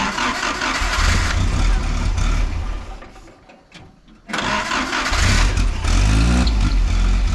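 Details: 1953 Willys CJ3B stored in a shed for years, with fuel pressure present but very dirty 2-year-old 10% ethanol fuel and choke unsure: steady starter churn about four beats a second, pause, more cranking, no catch; cranks but won't start.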